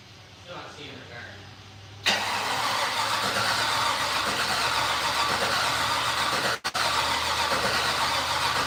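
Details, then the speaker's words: Datsun-bodied "Fatsun", first start attempt in 3 years, fuel lines just swapped: starter cranks at an even, steady rate for several seconds with no catch or firing; cranks but won't start, ignition switch questioned. "is the ignition on do we have an ignition switch on you know what I mean yeah cuz that I mean that's kind of what it's doing it's like trying to start huh"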